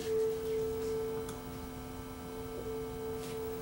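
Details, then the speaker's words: Sanyo RDS20 two-head cassette deck, speed being adjusted by ear against a 440 Hz reference tone: steady tone with only a slow faint beat remaining; tape speed now within a couple of hertz. "now we're going the same speed right no more beat [Music] pretty darn close so you can hear a bit of a beat there"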